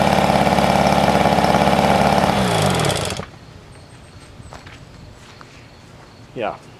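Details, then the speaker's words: 1971 Johnson 4hp two-stroke outboard that has never run right, different plugs, run out of water: quick, steady buzz with even firing for three seconds, then a clean wind-down; runs fine. "it on the boat started up if you can I don't know sounds pretty good though"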